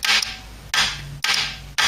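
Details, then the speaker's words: Ford Cortina A4LDe automatic gearbox loom bench test, 12 volts to kickdown solenoid with heavy pull-in and light holding-winding relay: three sharp clicks half a second apart with short buzzing tails, relay delayed click on and off; working properly. "if I put 12 volts to this it'll kick down you can just hear the relay do it second click you can quite get that what the relay does one click or delayed click click on and it click off"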